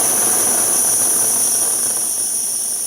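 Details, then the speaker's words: MSR Whisperlite Universal stove on fuel canister, generator tube heated up: strong steady hissing roar with no sputter or pulsing at full output; normal burner roar. "You've got a lot of power too, look at that. Once it heats up that generator tube, you have a lot of power at your disposal."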